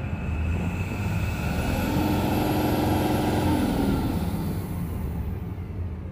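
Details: Tata BS6 Phase 2 Cummins diesel with complaint of not revving past 1300 rpm, no fault code: engine climbs smoothly to about 2500–2600 rpm and settles back, no stumble or flat spot; revs freely.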